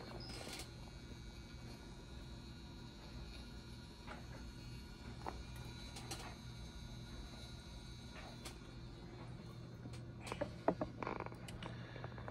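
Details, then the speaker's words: 2012 iMac's original Apple hard drive, connected externally while being cloned to a new replacement drive, makes faint irregular clicks and ticks every second or two over a quiet hum; failing hard drive clicking as it struggles to read. "I've got such a wild setup here that Apple Drive is making a whole bunch of weird noises I'm not sure if you can hear that but like it's"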